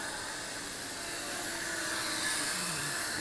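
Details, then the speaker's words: Holy Stone HS340 micro beginner drone flying indoors at beginner rate: high, steady whirring buzz from small props shifting slightly as it manoeuvres; motors smooth and healthy, very nice flyer. Normal flight. "So going around the area. You know, these little Holy Stone beginner drones, they're actually very nice flyers. I gotta admit that."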